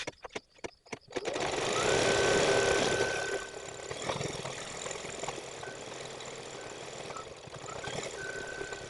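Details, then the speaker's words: Embroidery machine stitching on denim: fast, even stitching at about three to four stitches a second with a dull thump into the fabric on each stroke, indicating a dull needle, which was then replaced. "I took the opportunity to change the needle real fast because I could hear it thumping into me that signifies that the needle is dull"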